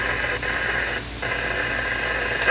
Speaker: and if I kick it on and off you'll hear that it does break the squelch just barely at that uh signal level so we know we're aligned properly